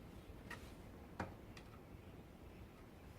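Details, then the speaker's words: Toyota RAV4 engine on rebuild, crankshaft levered with a pry bar to check end float: three sharp metallic clacks as the crank hits thrust bearings on number three cap; too much movement means replacing thrust bearings. "you can hear a knocking sound and that's the the crankshaft hitting against the thrust bearings that are down uh on number three cap"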